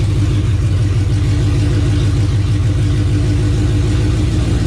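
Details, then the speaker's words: 1984 Fox-body Mustang with swapped Gen II Coyote V8 from a 2017 Mustang GT, cold start, no coolant and some things unhooked; deep, loud, steady even rumble settling down, no knocks or misses — normal cold-start idle. "Here we go. Coyote cold start. Yeah, yeah, it's settling down."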